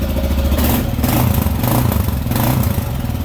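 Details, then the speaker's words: 2018 Kawasaki KLR 650, 651 cc single-cylinder thumper with Leo Vinci exhaust, throttle blips: deep, slow pulses swelling with each blip then settling, some attitude but not loud or cracking; a normal, moderately quiet thumper. "You can hear the thumper in the motor. Why they call it a thumper, because it is a single cylinder, but you can hear that pumping like that."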